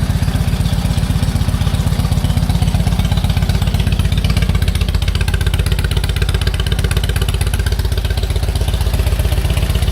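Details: 1946 Indian Chief V-twin, original engine, restored, after 12+ years in storage and getting it running again: deep, even thumping idle about four beats a second, steady with no misses; healthy normal idle.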